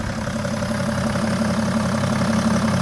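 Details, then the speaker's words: BMW E60 535d M57D30 diesel, 286 HP, with straight-pipe exhaust, after overhaul for overheating (head, timing chains, bearings, turbos, injectors), started cold after several hours: steady, even diesel clatter and a smooth low drone with no misses or knocks; sounds healthy. "The car is pretty much cold. I haven't started it for several hours. So, yeah, I think it sounds good."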